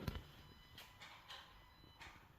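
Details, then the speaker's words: Audi A5 3.2: a door clunk, then a faint steady high buzz as the fuel pump primes when the driver's door is opened. This is normal, triggered by the door latch switch, with the fuel-pump fuse still in. "you hear that buzzing sound that's your free Prime on your fuel system"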